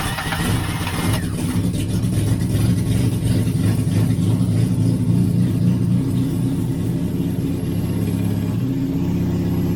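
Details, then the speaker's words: 1989 Austin Mini 998cc A-series, sat three years. Runs unevenly with rpm hunting and sagging, no tapping or knocking. Owner suspects fuel delivery problems; the engine is otherwise sweet. "I think it's got fuel delivery problems it seems to Surge and then go off again which is not surprising given how long it's been sitting"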